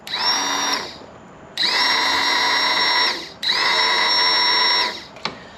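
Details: DS90 two-stroke after engine rebuild, starter reinstalled, battery still charging: three short bursts of high electric whine spinning up quickly at even pitch, no grinding; starter healthy.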